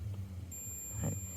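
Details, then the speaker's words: Multimeter continuity test on a transistor: red probe on pin 1, black on pin 2 then pin 3, both give the same steady continuity beep under low hum and handling, indicating a shorted transistor. "ඔයගොල්ලන්ට බලා ගන්න පුළුවන් නේ සද්දයක් එනවා නේද? හරි. ඊට පස්සේ මේකේ තුන්වෙනි පින් එකට මන් තියෙනවා. ඒකටත් ඒ සද්දෙම ඇහෙනව නේද යාළුවනේ?"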